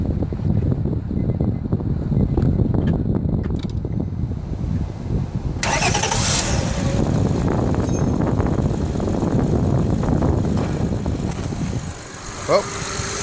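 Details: 2005 Honda Accord after a starter replacement, first start with the phone resting on the side: brief surge as it fires, then a steady low engine rumble without grinding or clicking; starts and runs normally.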